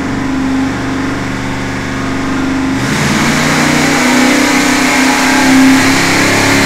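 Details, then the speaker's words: Freshly rebuilt 461 cubic inch Pontiac V8 on dyno after break-in, first untuned mini pass: pulls up slowly under load with flat, uneven rasp and slight stumble; extremely lean everywhere, a bit hard starting; fuel pressure to be checked. "it's extremely lean everywhere it's a little bit hard starting once you get it going and uh running along runs absolutely great but it sounds lean and it is lean"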